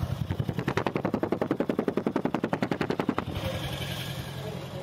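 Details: Toyota Prius hybrid on cold morning start: rough, lumpy exhaust chuffing about three beats a second, misfiring and not taking load, caused by tight/jammed tappet valve clearance, before adjustment.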